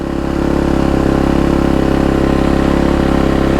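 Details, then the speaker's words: Husqvarna FC250 after fuel pump replacement and battery charge: starts and holds an even, steady single-cylinder idle thump with a smooth slight rise, no knocks or misses; normal idle. "all right she's all charged up let's try it again yes yes yeah nice oh man she sounds good"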